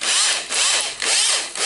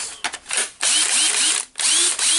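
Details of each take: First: Makita cordless drill before disassembly: high-pitched motor whine in short trigger bursts trailing off slowly after release, as the electronic brake fails; owner suspects carbon brushes, armature or switch. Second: Makita DHP458 cordless drill test run: short trigger bursts with motor whine sweeping up smoothly, no grinding or rattle; drill runs normally.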